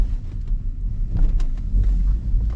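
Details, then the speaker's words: BMW E46 with code P0340, failing intake camshaft position sensor, VANOS not working and loss of power: low rumble while driving with a few sharp, uneven clunks; sensor to be replaced. "I'll also show you how the car behaves and my basically my problem with it you probably can hear the clunking as well that I need to"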